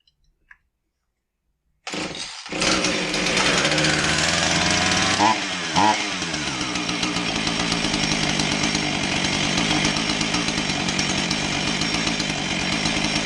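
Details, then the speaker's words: Husqvarna 445 chainsaw that bogs and won't rev, with a new fuel filter fitted: fires after a couple of seconds and runs unevenly, stumbling; idles fairly well, richening the low-speed screw doesn't help; plugged low-speed carburettor circuit. "you notice that when I added uh low speed a rich in the low speed that it didn't help and you also notice that it idled fairly decent not like it had an air leak"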